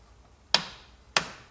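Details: BMW E38 750iL V12 during spark plug service; two sharp metallic clicks about half a second apart as the torque wrench breaks over at its set torque, 30 Nm for M14 plugs.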